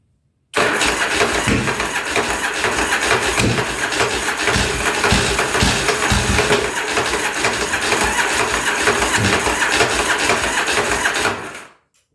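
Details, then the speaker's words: 1983 Yamaha Virago 920 barn find, after correcting badly bent carburetor float tangs: about eleven seconds of steady starter churning with a brief catch near the start, won't run; owner thinks it got a little too much gas. "oh oh o it almost tried to take off there was getting a little too much gas Maybe let my battery charge up a little bit almost"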